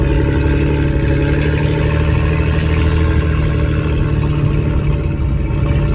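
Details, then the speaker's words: Ford AU Falcon off-road build on test drive in open field, day after changing spark plugs to cure a misfire: strong steady engine drone, even pitch, no stumbles; running cleanly and pulling smoothly. "So I just changed out the spark plugs, and yeah, it's doing pretty good actually."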